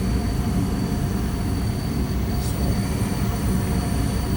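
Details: Goodman furnace at first start-up after relocation: steady, even low rumble of burner and blower ramping up, with no knocks, rattles or squeals. Normal furnace operation.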